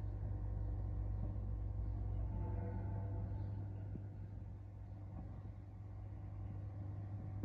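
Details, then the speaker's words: LG inverter direct-drive 8 kg front-load washer after replacing its faulty start/play push button: a steady low hum with a smooth drum rumble and no knocks or scraping; running normally. "अभी यह function properly कर रहा है ये आप देख सकते हैं"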